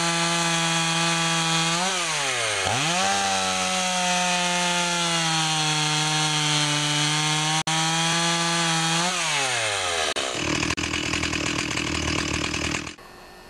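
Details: Stihl 028 AV Wood Boss chainsaw after carburetor rebuild, already started once; fires right up and holds a clean, steady buzz, revs dropping and climbing back smoothly with no stumble; normal running.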